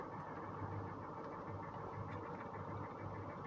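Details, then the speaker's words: Salvage-auction Northstar V8 idling after misfiring hard: faint uneven ticking with a soft low thump underneath; suspected rod knock, not confirmed. "but that almost sounds like a rod knock"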